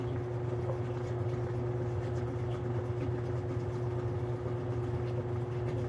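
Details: Older Maytag washer with the door held open by a bypass part; a steady low hum of the drain pump, even throughout, after a clicking sound; a normal drain.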